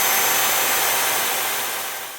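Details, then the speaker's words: Makita 5008MG electric saw after replacing a badly damaged commutator/rotor and carbon brushes with new original rotor and brushes, bench power test: smooth, even high-pitched whirr that winds down cleanly, faster speed; healthy after repair. "再仔细听转速的声音，转速提升有变快且悦耳好听。"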